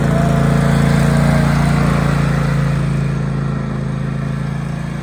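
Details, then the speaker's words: Craftsman Pro 8300 with Kohler KT745 engine, known head gasket leak, after a new starter cured a whining no-crank (solenoid change didn't help): a firm, even low thrum with no stumbling or whining. "And that's the culprit, a $54 starter off of Amazon."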